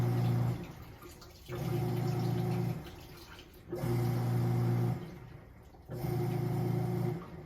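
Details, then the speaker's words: Samsung WA40J3000AW/A2 top-load washer set to medium: low pump-like hum switching on and off in roughly one-second bursts as it refills; it changes itself to extra large mid-cycle every time, cause unknown, water level sensor checked and appears to work. "Y'all see that? And now it starts filling up extra large again. Does this every single time."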